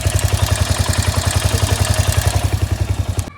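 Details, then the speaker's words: Royal Enfield Hunter 350 single-cylinder idling with sharp, regular pit-pit ticking at about 3–4 per second; the ticking got worse after tappet work in the head. Owner suspects a noisy valve train, unconfirmed. "इसका जो पिट पिट का sound है ना दोस्तों, ये और ज़्यादा बढ़ गया है।"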